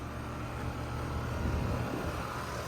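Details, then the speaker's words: 2007 Bryant Base Series 2-ton R22 air conditioner with Copeland scroll compressor, G commercial fan motor, running: low, smooth, even hum with no knocking or rattling; cold and sweaty, liquid line subcooling; normal compressor operation. "A really nice scroll sound of a 2007 Bryant base series. The R22 one."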